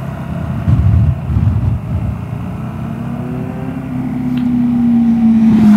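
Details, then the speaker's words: Vespa GTS 300 on test ride after fitting Dr Pulley Tech Pulley variator rollers against clatter at low rpm and pull-away; slow start from standstill, smooth rising drone, no rattle or grinding; variator now quiet. "ich höre gar nichts mehr hat die läuft butterweich die vario aus dem stand gar nichts mehr zu hören auch so bei langsamen anfahrten dabei ist also da ist jetzt keinen starren mehr zu hören das scheint also wirklich gut zu funktionieren"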